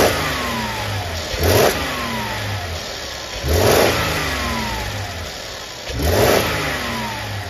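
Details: 2015 Mercedes GL450 with rattle and low boost, no fault codes stored: three quick revs, each bringing a brief tinny rattle from a worn wastegate pivot in the turbo housing letting the flapper move; the other side is similar but milder.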